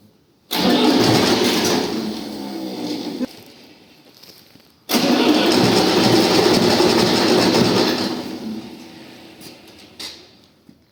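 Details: Diesel engine, first start after an engine rebuild, gives two long cranking bursts at roughly three turns a second without catching, slow to fire until the diesel fuel bled through; the starter is also now faulty, at about 7,566 engine hours.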